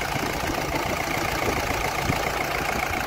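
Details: Mahindra Bolero Maxi Truck pickup diesel, about 3 lakh km, was burning oil, after engine overhaul with new sleeves: steady diesel clatter at idle with an even beat, no knocks, misses or rattles; engine sounds healthy.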